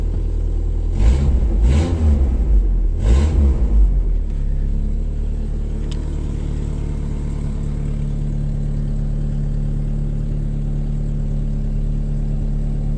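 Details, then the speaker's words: Toyota Tacoma 5-speed truck on a small snowmobile battery, with its frame being patched: three quick throttle blips, then a deep, loud, booming idle that sounds too open; the owner says it runs well but needs exhaust work and sounds like it needs oil. Loud exhaust. "This is a good running truck. That needs oil, it sounds like. Five-speed."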